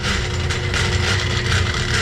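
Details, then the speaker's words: Laars Pennant commercial hydronic gas boiler circulator pump: loud steady rough churning with scraping mechanical rattle over a low drone, water leaking; suspected broken motor coupling and failed seal, unconfirmed. "all right it's the pump and they're super lucky there's a florid drain right there cuz this must have been happening all night oh yeah probably the coupling between the motor [Music] and inside they're broke and some sort of seal broke"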